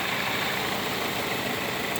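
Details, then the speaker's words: Toyota Matrix AC compressor running with a steady, even hum and no whine, squeal or knock, after adding 4 oz of PAG 46 oil. The earlier compressor noise was caused by low oil; it is now quiet and blowing ice-cold. "yeah he's gonna oil we're now in the AC compressors has has no noise at all just because it's loaded on oil"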